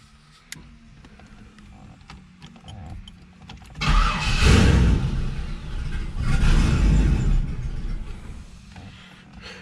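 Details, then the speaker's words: Turbo LS Camaro on a first start attempt, with turbo oil lines hooked up but the turbo not bolted down and no cold side: two cranking bursts with a steady chug of about four per second, no catch; owner suspects it needs throttle and temporarily reconnects the throttle. "needs a little throttle position i think might have to go hold on i'm going to go ahead and uh temporarily hook this throttle back up real quick"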